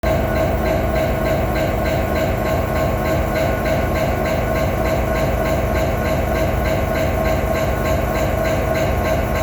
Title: A very strange knocking noise coming from a BNSF SD70 ACE. #9158 #train #utah #railway #fyp #shorts